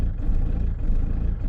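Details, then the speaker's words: Diesel van idling after a new lift pump (fuel solenoid) and fuel filter were fitted, building up pressure. Deep, steady clatter with an even beat, sounding much healthier; normal idle. "she's just building up de pression now that sounds a lot healthier"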